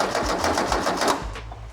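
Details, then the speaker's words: 1600cc twin-port VW T25/T3 engine (CT code), unknown engine cranked for the first time on the starter: quick, evenly spaced pulses with no uneven beats; compression felt and heard good on all four cylinders. "pretty good sounds like it's got good compression on all four cylinders there as well which is good"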